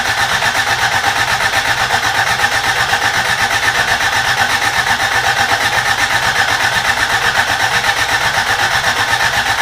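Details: Rebuilt carbureted Toyota Corolla, first start attempt: brisk steady cranking about four beats per second, never fires; cranks no start, fuel not reaching carburetor suspected, old gas believed bad.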